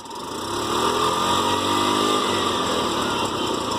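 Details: TVS King single-cylinder: raspy, breathy roar and steady buzz rising slightly; bad engine noise from split air intake hose.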